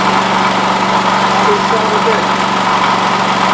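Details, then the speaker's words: Honda generator that produced no power that morning; after cleaning and plugging the regulator back in it runs with a steady, even drone and no surging, and now gives 120 V; voltage regulator or brushes are the suspected culprits. "If this thing lights up, then this generator works. And it might work just from cleaning it."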